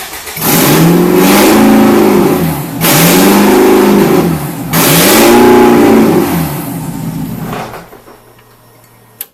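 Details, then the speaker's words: Ford Escort Mk6 van being restored, first start after wiring work with fuel pump priming: three hard raw revs with crackling bark, then settles and cuts; mega loud because no exhaust is fitted. "i forgot exhaust weren't on so it's going to be mega loud so we'll go for another start again"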